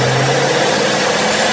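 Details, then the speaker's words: Ford Mustang GT Coyote V8 with belt-driven ESS centrifugal supercharger: even high whistle or chirp over a steady V8 idle with faint airy hiss, no knocking or grinding; normal blower noise. "At idle, this thing will chirp. It's a weird noise. I'll put a clip of it in. And then when you're letting off throttle, it goes psh."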